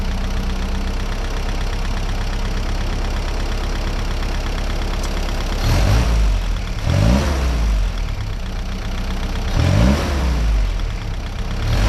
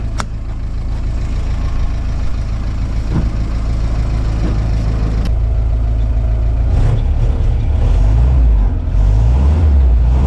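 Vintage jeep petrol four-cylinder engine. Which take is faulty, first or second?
second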